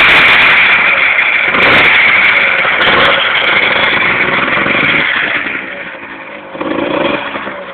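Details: Two-stroke DTR motorcycle running with a raspy high buzz and a faint regular tick about four per second; abnormal engine noise, cause unclear.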